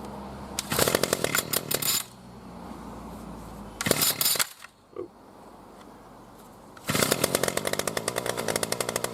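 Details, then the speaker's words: New B&Q 25cc petrol two-stroke strimmer after 3–4 primer pumps: short pull-start bursts, then a crisp, rapid, even buzz that is noticeably smoother once fuel gets through. Normal running. "So we'll just give it a pull to get some of that going through. There we go. You can hear it's a bit smoother on the running."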